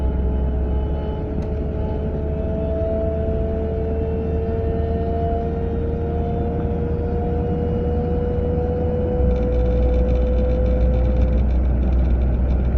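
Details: A 940 at a steady 30 to 40 mph: a mid-pitched whine creeps upward in pitch over road rumble, heard from the passenger side; the source is still unknown.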